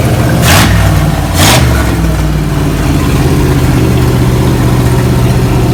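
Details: 1987 Chevrolet Monte Carlo SS, abandoned over 20 years in the Arizona sun, first start after cleanup: two quick catches, then a steady low rumble settling into a smooth, slightly fast idle; normal idle.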